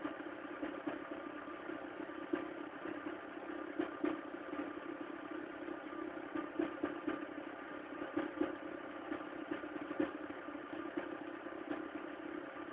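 Cold idle with light, irregular ticking and clatter over a thin engine hum; a noisy cold start with the cause not yet pinned down.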